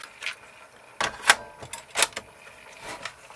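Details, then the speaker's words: 1980s Technics RS-M260 three-head dual Dolby cassette deck: irregular sharp clicks and clacks about one or two a second over near silence from the mechanism during function testing—mechanism clicking noise, cause not found. "I can hear it making some weird noises I think the deck's 100%"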